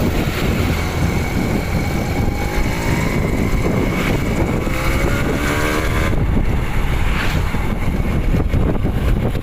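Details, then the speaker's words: Suzuki Crystal two-stroke motorcycle on test ride after engine reinstalled, previously rough: steady buzz under wind noise, pitch rising and easing evenly with throttle; smooth, normal running. "suaranya seperti itulah performa mesinnya dan suara mesinnya"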